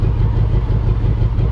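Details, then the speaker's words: 2014 Range Rover Sport supercharged V8 that began misfiring while overtaking: deep, uneven idle stumbling irregularly; two cylinders have zero compression, with stuck or bent valves suspected. "the guy said he was trying to overpass and it just started misfiring did a compression we got two dead cylinders zero compression we either got stuck valves Bend valves or uh"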